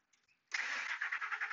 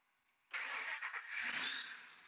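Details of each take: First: 2003 Ford F150 Harley-Davidson 5.4L supercharged with engine computer (PCM) heated by heat gun to about 120 degrees: brief crank, fires at once and settles to an even run; normal quick start during long-crank PCM testing. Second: 2003 Ford F150 Harley-Davidson 5.4L supercharged with long-crank problem: with the PCM warmed, barely any cranking before it starts instantly and settles toward idle, pointing to a heat-sensitive failing PCM.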